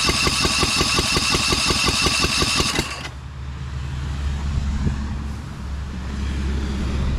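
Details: Newly fitted engine on a Lesco Viper 54" zero-turn, first start on full choke with no exhaust or muffler and a non-working shutoff. Loud open-pipe popping at about three beats a second for three seconds, then it dies; running on one cylinder.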